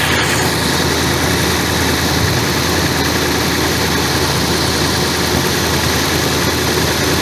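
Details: Nissan Titan 5.6L V8 running after a no-crank fix, where the fault was loose wires on the starter; steady, even idle with a smooth low rumble and no misses, knocks or ticks. The engine sounds healthy.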